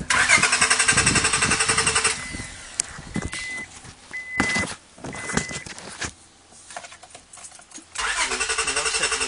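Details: 2001 Honda Accord: starter spins engine with even, rapid chug for a couple of seconds, twice, never catching; crank no start.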